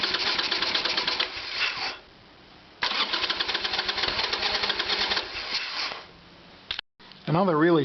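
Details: Harley Evolution Sportster with no fuel flowing to carburetor, petcock suspected vacuum-operated, cranked to test fuel flow: starter spins V-twin in bursts with even compression pulses but it never catches; carburetor later found at fault. Cranking, no start.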